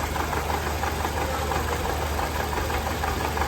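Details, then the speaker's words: 2014 Toyota Camry 2AR 2.5L engine idling roughly with a stumbling low pulse about three a second, misfiring and visibly vibrating, worse when revved and lacking power on the road. "ये देखें ये engine जो है बिल्कुल vibration कर रहा है"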